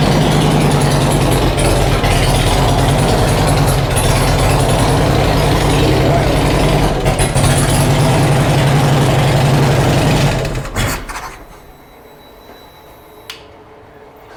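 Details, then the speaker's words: First start of a rebuilt Harley-Davidson Road King V-twin with new cams not yet tuned for them, long unrun and running rich: a lumpy idle with light valvetrain ticking clatter, then shut off; the valvetrain was expected to be clacky at first. "we know the valve train is going to be a little clacky first that's what we were told we were told so we're going to listen in for about 30 seconds if it doesn't quiet down we'll shut it off"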